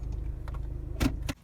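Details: Saturn ION front end, low steady idle as the car rocks: two dull clunks about a third of a second apart; worn front sway bar stabilizer bushing.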